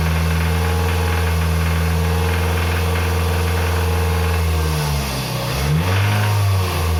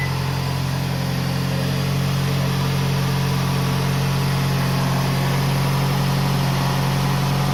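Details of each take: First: Toyota RAV4 2.0 1AZ-FE, 228,000 km, held at 2,200 rpm: dull uneven knock under the exhaust, silent at idle; timing chain already replaced without cure, rod bearing suspected, not yet confirmed before teardown. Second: Toyota RAV4 2.0 1AZ-FE after engine rebuild for connecting-rod knock at 2200 rpm (chain and guides replaced): smooth, even low idle hum with no tapping or knocking from the bottom end; normal idle.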